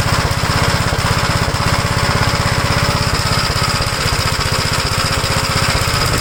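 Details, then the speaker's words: 1956 Gravely L after original carburetor parts were moved over: it no longer floods, but it still runs rough at about 160 thumps a minute with a stumbling, wandering beat. The owner wonders whether an earlier governor runaway to full throttle caused damage. "so I changed all that over from the original carburetor it doesn't leave gas anymore but it just still runs the same it's just I don't know why"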